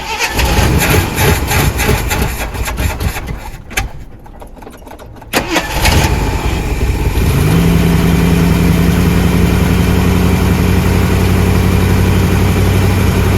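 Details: 1979 Jeep Cherokee, AMC 360 V8 with Quadra-Trac 4WD, after sitting 3+ years; carburetor choke stuck. Uneven cranking and coughing, then it catches and settles into a steady, even hum; normal start and idle.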